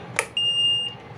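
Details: LG front-load washing machine, panel PCB under repair with only the start button responding: sharp click then single steady high-pitched beep of about half a second; washer flagging an error, PCB fault being traced, cause not yet identified.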